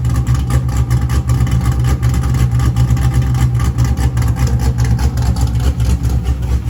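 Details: C5 Corvette V8 after block weld repair (starter had broken the block) and engine reinstall: deep steady burble with even pulses and light throttle blips, no knocks or ticks; starts and runs fine.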